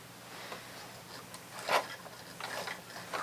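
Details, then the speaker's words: Used Goodwill sewing machine with new foot pedal, during cleaning/servicing, stitching test: fast light ticking with uneven clatter, possibly dry mechanism; cause unconfirmed, stitch still good. "I'm not wild about that noise, but so we'll see. We'll see what happens."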